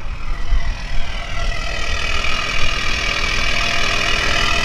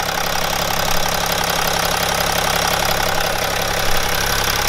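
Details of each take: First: BMW E61 530d, M57N diesel, 232,000 km, cold start after a timing chain repair with the particulate filter removed: a deep, loud idle with a heavy low rumble and rasp, otherwise smooth; loud exhaust from the removed particulate filter. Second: BMW E61 530d with M57N diesel (235 hp) at 232,000 km, cold start after a broken timing chain was repaired: a fast start and a steady, even idle with the usual light clatter and no rattles or chain slap.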